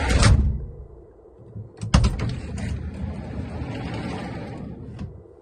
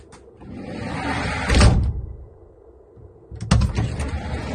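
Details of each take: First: GAZ Sobol 4x4 diesel van, sliding side door that knocked over speed bumps, after adjusting its mounts in the worn oval holes: the door rolls and latches with a soft, dull thud, no metallic bang. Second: GAZ Sobol 4x4 diesel van sliding door rolling shut with a hard metallic bang; door mounts misaligned, fixed by adjusting position, tightening upper then lower mounts; also knocked over speed bumps.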